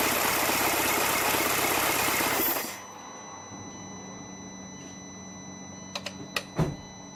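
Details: 2006 VW Passat 2.0 turbo, which had no compression and would not start because a snapped timing chain stopped the intake camshaft, now running after chain replacement: a fast, even beat for a few seconds, then a clean shutoff with no knocking or rattle.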